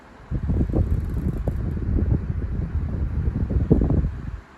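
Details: Lasko 12-inch 2500 table fan (around 2007): uneven low fluttering and buzzy bursts over the whoosh, a wobbling shudder. Vibration in a damaged fan, with the blade suspected to be imperfect, not confirmed.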